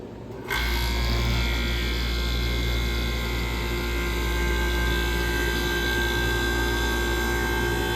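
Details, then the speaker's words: Vintage QM (Comfort Aire) air conditioner after blower cleaning: compressor kicks on after half a second, settles into steady even hum with smooth fan rush, no rattles; normal compressor running, cooling ice cold. "this is the much more big muscle Beast just a sound of an ah firing up here we go"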